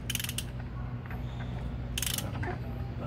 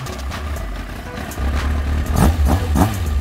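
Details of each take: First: Kawasaki ZX9R engine after rebuild, cranking without spark plugs; rattly, ratchety clatter over the starter whir; owner suspects noise from the crankshaft area, cause unconfirmed. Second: Kawasaki ZX-9R engine run after a rebuild: steady idle, then several quick clean throttle blips that return smoothly to idle, with music in the background; engine sounds healthy.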